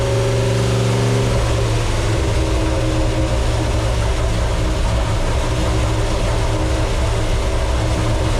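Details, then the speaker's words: 1972 Plymouth Satellite 318 V8 with a new flat-tappet cam and zinc-added oil, idling while warming to temperature: deep, steady burble at an even idle with a low rumble, no ticking or knocking; healthy engine. "all right let's let it warm up a little bit and uh now that we got it up to temperature and the coolant is flowing through the actual engine"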